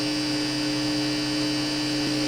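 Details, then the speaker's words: Fender G-Deck guitar amp while testing a rewired Les Paul-style guitar with Epiphone pickups: dead-steady hum with hiss over it, never changing. The amp's built-in preamps are very noisy. "It's a Fender G-Deck amp. It's got preamps built into it that are very noisy."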